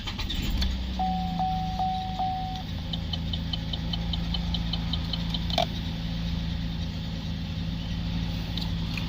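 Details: 2015 VF Holden Commodore SV6, 3.6 V6 LFX with automatic, 102,418 km, wrecked car being dismantled; steady, even low idle with dash chimes, no misses, ticks or knocks; idles smoothly.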